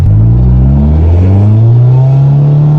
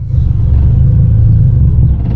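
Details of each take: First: Honda Civic EG6 after fitting exhaust parts from the trunk and welding, revving: deep, loud, boomy aftermarket exhaust note rises, holds and drops back, no knocking, belt squeal noted; still loud but much better than before. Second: Old Honda Civic EG6 with loud exhaust idling in neutral: deep, uneven rumble sags and fades as if about to die, owner says it is literally stalling out.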